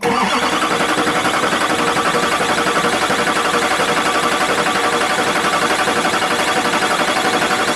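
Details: Duramax LBZ diesel, first start after rebuild with 60% over injectors installed: catches right away and settles into an even, steady clatter with no knocks or odd noises; sounds healthy.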